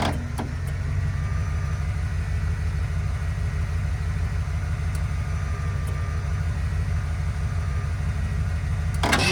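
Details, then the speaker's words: 1978 Ford F-150 plow truck being revived: slow, labored, uneven cranking about three turns a second, no start; owner thinks the battery is shot and the starter solenoid may be sticking. "again I can hear it bogging down my truck I think it the battery itself is pretty much shot and my truck's doing most of the work"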